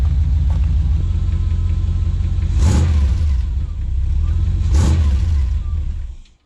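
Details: 1982 Chevy S10 with a V8 after cheap exhaust rebuild with welded cats, added glasspack mufflers and dual exhaust: deep, even idle burble with two throttle blips that swell and settle, no rattles or leaks; healthy and the quietest it has been.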